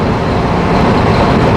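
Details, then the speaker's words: Newly fitted Webasto Thermo Pro 90 diesel coolant heater on a Demag AC220 crane, replacing a failed Eberspächer, at full working temperature of 80°C with no faults. It is still roaring away, a steady, even low roar with no knocks or surges: normal running. "still roaring away."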